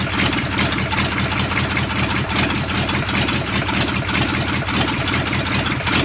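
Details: Land Rover Defender V8 conversion, first start from cold, dry-fired with no exhaust and no coolant fitted: lumpy crackling V8 burble, even firing with crisp pops and flames; healthy engine, normal running.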